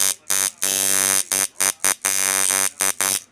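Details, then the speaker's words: Heavy coil tattoo machine, same spring setup: loud, harsh buzzing in short on-off bursts at a steady high pitch; running normally, just obnoxiously loud compared with a stealth-type rotary. "you know but it's a heavy machine and you try talking to somebody over this try listening to me it's [ __ ] obnoxious you know"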